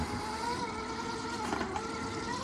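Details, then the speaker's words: Redcat Gen 8 RC car, never greased, climbing a hill: steady gritty whirr with a rasping edge under load, its loudest RC car, grungy and grindy sounding; dry drivetrain gears suspected, not confirmed. "it's literally the loudest RC car that I have and uh and she's quite quite grungy and grindy sounding"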